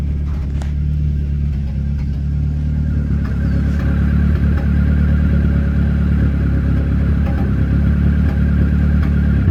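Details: Dodge SRT-4 under light load: deep engine drone with an uneven stumbling pulse, about three hitches a second, a misfire that can be felt and seen; catalytic converter inefficiency code set though no cat fitted.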